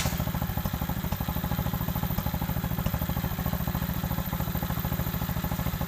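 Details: Cheap pit bike, warmed up, after fitting a new throttle cable, fuel filter, air filter and spark plug and cleaning the carburettor: steady, even single-cylinder putter at fast idle, consistent beat, no misses or knocks; normal idle.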